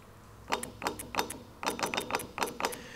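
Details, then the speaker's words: Car AC compressor bench test with battery voltage applied directly to the clutch power and ground wires of a good compressor: sharp metallic clacks in quick pairs as the clutch pulls in and releases, crisp and even; normal clutch engagement. "i'm going to apply battery voltage and you're going to see this move in and out and make a noise"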